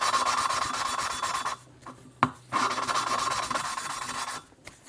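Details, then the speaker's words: Small-block Chevy cylinder head, hand-lapping a valve with grinding compound and a suction-cup tool: gritty rasping in short twisting strokes with brief pauses; the compound is still cutting and the seat is not yet mated. "You begin to hear the subtle sound difference. It gets smoother."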